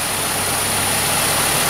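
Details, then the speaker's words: Engine quiet and even at idle after the vacuum line to the intake runner flap solenoid was pulled; the knocking chatter that sounded like a bent rod or spun bearing came from the runner flaps in the intake manifold. "so I'm sure you're here in the chatter room right now as soon as I pull this vacuum line it's going to go away see how quiet it is"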